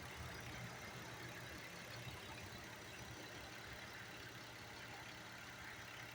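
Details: Car idling after owner cleaned MAF and added cooking oil to the tank for a misfire: quiet, even idle with no stumble or miss; engine runs smoothly.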